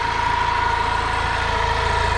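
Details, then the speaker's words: 1992 EZ-GO limousine golf cart with a twin-cylinder Robin gas engine, sitting outdoors for 16 years, first start on starting fluid. Quiet, even idle with a smooth steady beat and faint whine, no smoke; running well. "no smoke at all wow thing runs great super quiet man I can't believe how quiet this thing is"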